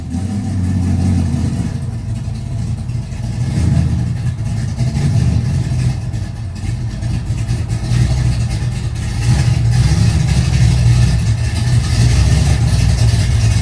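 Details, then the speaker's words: Race car on its last run before its chassis is stripped: a deep V8 burble with an uneven, stumbling beat at idle and light revs. It's not running up to snuff, and the owner suspects fouled plugs. "You can tell she's not running the best. I think we fouled the plugs in it or something."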